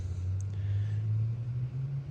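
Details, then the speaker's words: Holden HQ one-tonner off the road 29 years, running with no cooling hoses, a poor carb and no accelerator pump: a deep, steady low rumble under the engine note; owner suspects alternator or water pump. "you can hear a rumbling noise or bet manyy had been the alternator or the water pump"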